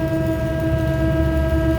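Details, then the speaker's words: Dirty exhaust fan that had stopped, likely drew high current and tripped the motor starter: steady motor hum, no rubbing, squeal or knocking during a run test; running normally, suspect contactor shows high resistance across contacts. "I'm letting the fan run for a little bit to make sure there's nothing else wrong"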